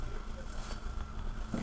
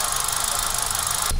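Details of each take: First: 2017 Hyundai i20 brought in for misfiring, random stalling and poor mileage, after repair: steady low idle with even beat, no stumbles, no missing heard at the rear silencer; previous whispering noise at engine gone, wiring fixed; normal idle. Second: 2017 Hyundai i20 idling, heard at the exhaust: uneven puffing misfire with fluctuating rpm; the car occasionally stalls and has poor mileage.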